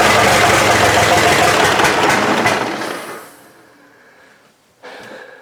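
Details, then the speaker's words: Diesel pickup truck (Long Bed Larry build) at first start attempt, plenty of throttle: fires rough and uneven, lumpy as if running on two or three cylinders, then putters out within seconds. "even with throttle it just Putters out like that sounds like it's running on two or three cylinders and it doesn't sound good at all"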